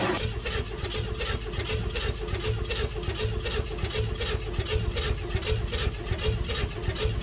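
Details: 1964 Chevelle Malibu 230 inline-six, first start after 34 years. Spark is confirmed and gasoline is poured in. Repeated cranking at about eighty strokes a minute with occasional coughs that never catch: it nearly fires but won't run.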